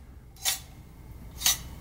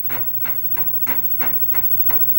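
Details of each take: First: Commodore Amiga 500's Chinon F354E floppy drive, removed from the computer and moved by hand: two short, sharp tinny rattles about a second apart. A 3.5-inch disk shutter was found loose inside the drive. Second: Commodore Amiga 500 3.5-inch floppy drive after cleaning both heads and reassembling; crisp ticks about three a second in short irregular runs, head stepping and reading normally, now working.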